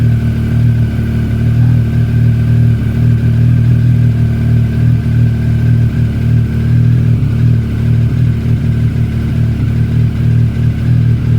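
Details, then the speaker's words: Triumph ST1050 with 28,000 miles on a cold start: deep, even burble at a steady idle with no knocks, ticks or rattles; sounds healthy. "Oh, that's on a cold start. So, just going to give that a second. I can't believe that started. That sounds absolutely sick in a good way."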